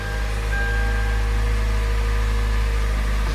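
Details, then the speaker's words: 2012 Kia Soul 2.0L that had no crank/no start with code P0705; the transmission range sensor was found unplugged and plugged back in. It now starts and idles with a deep, smooth, even rumble and no knocks or misses. "Wow, I can't believe it. It was just unplugged."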